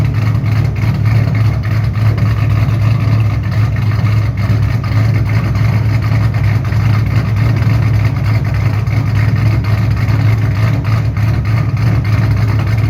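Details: 2007 Shelby GT500 supercharged V8 with newly installed L&M NSR camshafts, Venomous Tuning tune: deep loping idle with choppy uneven beat and strong low rumble, pulling clean on revs. Normal cammed idle.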